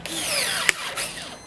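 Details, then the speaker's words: Battery pruner at maximum capacity: motor whine sags and falls away mid-cut, then a sharp beep; the tool stalls on overload, didn't make it, beeps, battery still four bars. "No, it didn't make it. Oh, and it's beeped at me. It's not happy."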